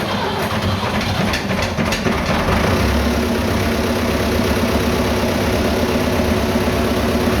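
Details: Vintage "77" diesel tractor that had no start from an empty tank. After refuelling it catches and settles into a loud, steady idle clatter with an even beat and no stumbling.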